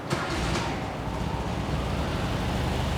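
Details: 1971 VW Square Back air-cooled engine, reinstalled with new valves and 40mm carbs after valve adjustment: a quick catch after a short crank on a hot start, then a low, steady idle. Clean and healthy, though the valve cover still leaks.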